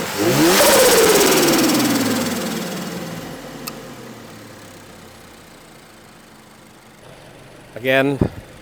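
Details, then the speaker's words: New-generation Subaru BRZ with freshly installed bolt-on turbo kit, sound check: sharp rev blips climb and fall smoothly with audible turbo whistle, not too loud, no misfire, knock or rattle; normal revving. "so sound is not too loud when you rev it Mal let's wait for the engine to heat up so let's do a sound check oh you hear that turbo whistle sounds good"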